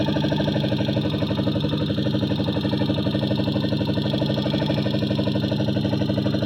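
A steady tick-tick about four times a second sits over an even idle; a light knock or valve tick, cause uncertain.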